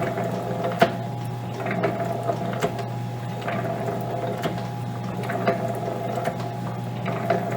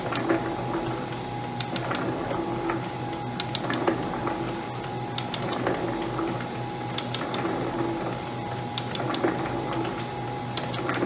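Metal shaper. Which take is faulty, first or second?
second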